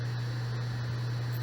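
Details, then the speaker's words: External hard disk in a docking station, powered and connected to a computer: steady low motor hum of the drive spinning, no clicks or grinding, but the computer does not detect it. "सो यहां भी motor चल रही है hard disk की motor होती है अंदर जो चल रही है पर यह कंप्यूटर से कनेक्ट नहीं हो"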